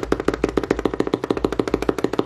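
Sharp dry clicks, about nine a second, each time the fader swings across; the reed switches pop as they close.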